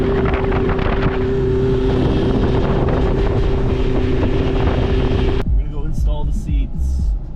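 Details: 2000 Lund 1700 boat, 90HP four-stroke Mercury outboard, after restoration and motor repair, on the water under load: steady even drone at constant pitch over wind and water, no misses or knocks. Normal running.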